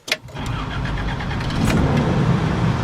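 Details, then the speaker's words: Toyota FJ60 cold start on about half choke and three pedal pumps, air conditioning on: a short crank catches at once and settles into an even, steady idle that slowly firms up; a clean, healthy cold start. "what I found with this truck that's different than my other 60 is this one you don't have to choke it quite as much"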